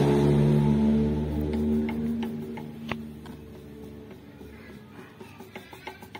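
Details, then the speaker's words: Toyota Avanza/Daihatsu Xenia with conventional (non-electric) power steering that rattles on rough roads: after music fades, light metallic clicks come as the steering shaft joint is rocked by hand, showing worn spline play. "Kebanyakan untuk sumber suara gelar truk di bagian atas atau di bagian kemudi itu kebanyakan sumbernya dari bagian sambungan gigi yang excellent"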